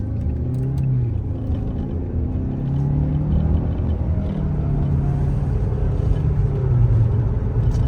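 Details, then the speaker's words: 2.5-litre turbo engine that had a blinking check-engine light with random misfire from fake generic NGK spark plugs, after fitting genuine iridium plugs: road test shows a deep, even rumble swelling smoothly under boost with no stumble; problem fixed. "So the guy is boosting very well. Satarbo charge agent. So and we can say that hiyo shida imeisha successful."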